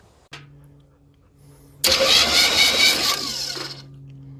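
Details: 1976 Chevy Chevelle Laguna with 305 V8 and side pipes, battery fitted to check starter before setting timing and carburetor: starter spins engine briskly and evenly for a couple of seconds, no grinding or dragging; healthy cranking.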